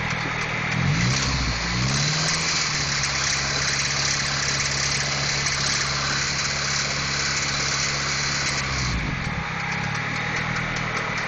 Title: H22 engine knock